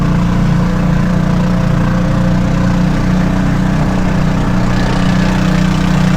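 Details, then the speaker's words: Kawasaki Mule utility vehicle at idle: loud, blatty, raspy exhaust drone that sounds terrible; the exhaust system is suspected to be coming loose. "Yeah, listen to that exhaust. It sounds terrible."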